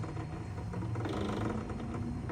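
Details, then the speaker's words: 1966 Sony TC-250 reel-to-reel tape recorder, transport controls worked (play, pause, fast forward, rewind, brake): dry mechanical rattling and creaking with no steady motor tone; the reel brake function is loose and rattles. "Yeah, as you can see, it's rattling."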